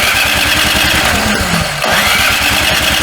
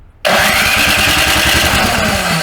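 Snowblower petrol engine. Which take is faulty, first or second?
first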